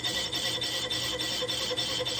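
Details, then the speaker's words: Lathe facing a junk flywheel/clutch pressure plate at slowed spindle speed on power feed. Harsh rasping squeal pulsing three to four times a second: tool chatter, leaving a badly chattered surface. "I don't really care what happens to it if this works all the better although it sounds like it's chattering so maybe I need to see about remedying that"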